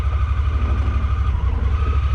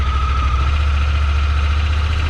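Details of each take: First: Honda Pioneer 1000-5 running rough, Sea Foam didn't help; in low gear, low pulsing idle skips and misses, then dies; owner suspects worn spark plugs before changing them. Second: Honda Pioneer 1000-5 side-by-side after spark plug change to fix rough running: steady, even low rumble with no misses while backing up and idling; runs smoothly, new plugs fixed it.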